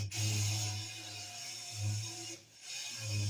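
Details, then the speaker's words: Honing a J.E. Porter hand pump cylinder with an engine hone on a Ridgid drill at speed 1, degreaser as lubricant: low droning hum surging and fading under a gritty ratcheting stutter; hone chatter. "I don't like that vibrating. Vibrating means it's stuttering as it's trying to grind."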